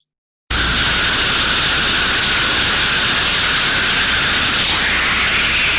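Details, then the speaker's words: Ultrasound recording of a thermodynamic disc steam trap: loud, constant high-turbulence hiss with no cycling or abrupt closing, steam blowing straight through. The trap has failed open. "a high level of turbulence as we were showing in the previous slides blowing through constant constant steam being flown through the trap not good"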